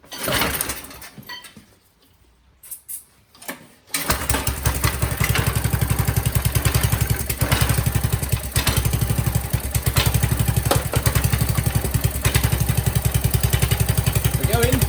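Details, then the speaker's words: Qualcast Classic Petrol 35S cylinder mower, found free, after carburettor work: catches after failed pulls and chugs steadily but only runs on choke; owner suspects hidden clogging in the carburettor, unconfirmed. "So it only runs on choke. I suspect that all that work on the carburetor was in vain if there's bits clogged up that I can't see."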